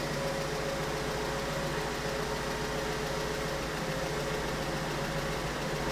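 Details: 2008 BMW 1 Series (E8x) with the 125 kW N43 petrol engine idling with an uneven, lumpy low beat and no clean rhythm. It is constantly misfiring and idling rough; the faulty component is still being diagnosed.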